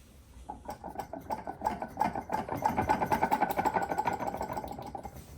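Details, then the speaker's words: Eaton TVS 1900 supercharger off a Jaguar Land Rover 5.0 V8, snout turned by hand: light ringing clicks about three a second from free play in the worn spring-loaded coupler. Coupler free-play rattle. "there's a little bit of free play in that. Not lots and lots, but enough. And particularly with the inlet manifolds on, they act like a bit of a a sounding chamber for it. And it rings a bit like a bell."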